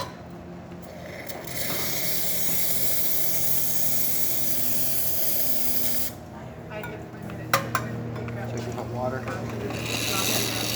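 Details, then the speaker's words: Rocket espresso machine after a completed service, refilling its boiler with hot water after deep cleaning. A loud steady steam-and-water hiss gives way to a quieter pump hum. Normal boiler refill. "You can hear the machine has to. It's refilling from deep cleaning with hot water."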